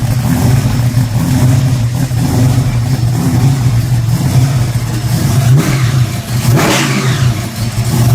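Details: Freshly built Hemi V8 running: deep, steady rumble that swells cleanly with each rev, no knocks or ticks; healthy normal running engine.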